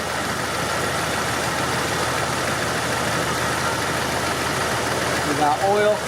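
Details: Jeep XJ after oil pump replacement and resetting timing on correct stroke: loud steady idle with even beat, 60 psi oil pressure, no knocking or ticking; engine healthy.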